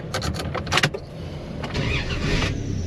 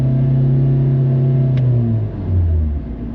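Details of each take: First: 2000 Dodge Dakota whose owner reports it sometimes won't start for 30 minutes, seemingly worse when hot: a brief burst of quick cranking pulses, then it fires right up and settles into a steady, even idle; a clean, normal start. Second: Kia Forte with 172,580 miles, reported to stall all the time: deep engine note droops and wavers as revs sag and stumble near stalling; rough running like a misfire, cam timing fault suspected.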